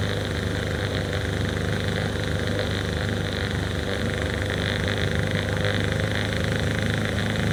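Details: Small two-stroke outboard on an abandoned jon boat that sat for a long time, started in the water. It holds a steady, even idle with a constant buzzy drone and no misses or knocks: runs fine.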